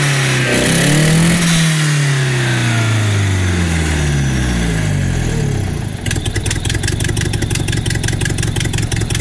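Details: Nissan S12 with CA18DET engine after idle fix rework: engine revs up and falls back cleanly, then settles into a steady, even idle with no misses or hunting, now running much better; normal revving and idle.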